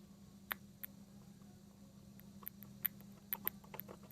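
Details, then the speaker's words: Xbox power brick stuck on an orange light: the power cable is wiggled in and out of the brick's socket, giving irregular sharp snaps and crackles over a quiet hum, like short-circuiting it. A loose, arcing power connector is suspected; it is done until the light turns white. "unplug it, and you just put it in so it starts, you can hear it like crackling. It's almost like you're short-circuiting it."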